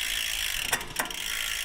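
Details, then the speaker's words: E-bike rear derailleur, shifting up from the smallest cog: over a steady freewheel buzz, two short rattling clatters as the chain tries to jump to the next larger cog and falls back; shift cable tension is incorrect. "And you can see the chain's kind of trying to go up that way. It's kind of jump trying to jump up to the next largest cog."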